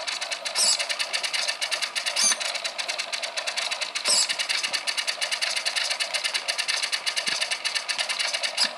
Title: really loud chatter